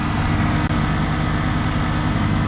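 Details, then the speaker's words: Lexus LS430 air suspension compressor after replacing compressor bushings and fitting rear 2003 air struts, heard from inside the car: steady low quiet hum with faint even drone, no rattle or knocking; normal compressor running. "barely here it inside the car yeah you can't even hear it"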